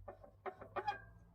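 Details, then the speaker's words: Bicycle disc brakes, lever squeezed and released: short squawking squeals in uneven bursts; pads still have tread, likely glazed pads and very dirty discs, to be cleaned rather than replaced. "Now it could be that the brake pads have had it completely, but hopefully we can salvage them because they've still got quite a bit of tread left. Hopefully it's just a case of them being a bit glazed over and the brake discs being proper dirty."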